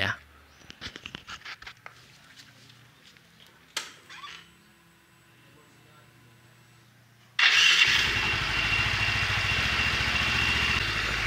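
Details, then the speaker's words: Scooter (automatic) with vibration on initial pull-away, CVT cover removed, engine running: steady, even hiss and hum from the CVT with no roughness; rollers sound smooth, so roller components are judged normal. "kalau kita menganalisa dari segi suaranya teman-teman ya biasanya kalau komponen Roller yang bermasalah ya dia akan menimbulkan bunyi kasar ya Jadi ada bunyi kasar yang terdengar dari depan sini teman-teman ya dari komponen roller akan tetapi ini halus ya teman-teman tidak menimbulkan suara kasar"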